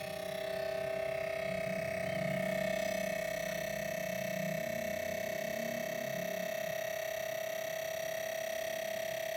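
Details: New Wanbo T2 Max projector, faulty on arrival from Geekbuying with unbearable noise. A constant, piercing mid-pitched whine with a faint buzzing hum underneath runs far louder than normal; the source is undetermined.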